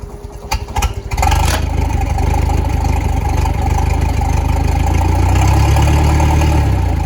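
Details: Starcraft boat outboard, first start since it was winterized last fall, with flushing water running: it cranks briefly, catches within about a second, then settles into a steady, even idle with a slight rise near the end; runs healthy.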